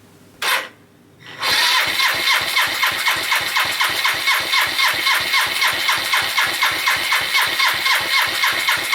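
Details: Suzuki GN250 after work on the top-end ticking (suspected valve clearances, cam chain tensioner or cam chain): catches after a short crank and settles into an even, regular thumping idle with no ticking. Normal idle.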